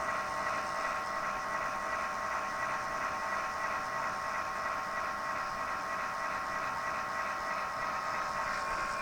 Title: Strange noise Zalman PSU